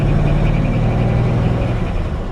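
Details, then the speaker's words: 1949 Ford F1 short-bed pickup, original 239 flathead V8, three-speed floor shift, driving in gear: low engine drone with a faint quick repeating chirp, the drive belt squeaking; owner thinks it may be because the engine is cold. "got a little bit of a squeak in the belt"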